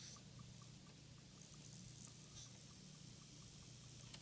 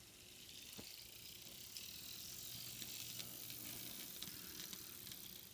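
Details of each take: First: Walthers GP38-2 Santa Fe model locomotive, motor run on the bench, forward then backward: a very soft, steady hum with light pattering and no grinding. It is very quiet both ways, so any noise probably comes from the trucks. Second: Walthers GP38-2 Santa Fe model locomotive on the track after reassembly: a faint high whirr and ticking. Still a little gear noise, expected to subside as it wears in; the noise doesn't slow the engine.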